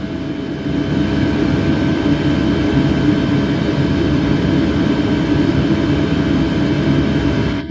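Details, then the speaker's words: Birch RV diesel heater switched to highest 5,000 W setting, fan slowly ramping up on a power station. Steady whooshing fan hum with faint constant whine rising then holding level; normal high-setting operation. "So here at the highest setting, you can now slowly hear the fan slowly ramping up."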